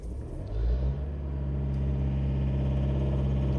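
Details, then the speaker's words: Mitsubishi Triton diesel with morning hard starting, fuel cut and code P0118, injection pump learning at zero, scan-tool relearn started: engine note swells then settles into loud droning rumble; rough noisy running during pump relearn, which should smooth engine sound. "الان البرمجه هاي تنعم صوت المحرك يا حبايبي اللي يشتكي من خشونه بصوت المحرك"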